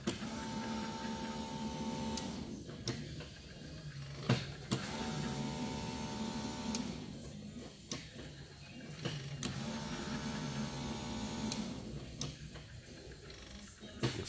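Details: 1972 Ford F100 with LS engine swap, hot-wired ignition, testing fuel delivery from the tank: short spells of steady electric whirring separated by clicks; the fuel pump runs but fuel still isn't coming through.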